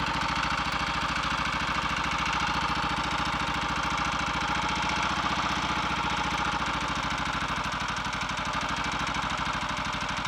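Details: Redditch Royal Enfield 350 Bullet single on first start after full rebuild (worn big end fixed, wet-sumped), warming at fast idle: steady thump with a faint light tap each beat; ignition slightly over-advanced, strobe retiming quietened it.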